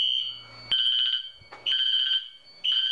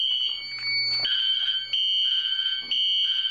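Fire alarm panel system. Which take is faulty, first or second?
first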